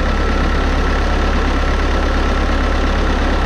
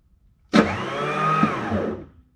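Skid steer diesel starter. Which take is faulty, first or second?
second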